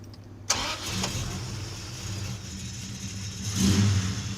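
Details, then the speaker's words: Plymouth Duster after checking belt engagement on the pulleys to cure an earlier noise: engine catches quickly and settles to an even idle with a short rev and no squeal or chirp; fixed. "It's fixed, man. And we're good."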